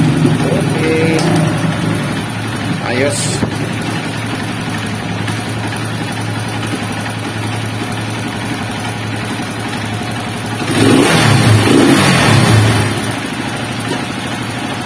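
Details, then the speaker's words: Honda TMX 155 single-cylinder fresh from a general overhaul for excessive engine noise, oil primed by kicking: steady, even idle with one brief rev blip, smooth and regular. Engine healthy. "Perfect. Napakaganda yung andar ng makina mga bro."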